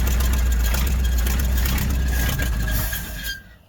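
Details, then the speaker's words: 1955 Dodge Super Red Ram Hemi V8, 70 years old, first start: deep, even idle rumble with no knocking, then it dies, probably out of gas; otherwise smooth, healthy idle. "Look at that old baby purr."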